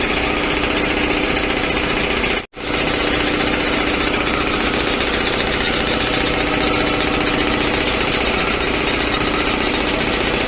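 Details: 3 HP LG-model air compressor just after a service with belt, filter, oil and oil indicator changed. Loud, steady, rapid piston chatter at an even pace with one brief dropout; no knocking or squeal, running healthy.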